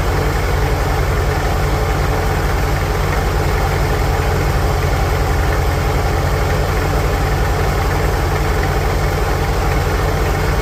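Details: 1946 International Harvester Farmall H four-cylinder, in neutral after a pushrod replacement and deep cleaning, with a low battery: slow, steady thump at about four beats a second, no misses or knocks; smooth, even, normal idle.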